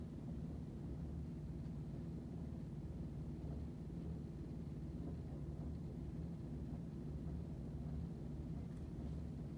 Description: Noise and vibrations coming from a running washing machine on the other side of the kitchen wall.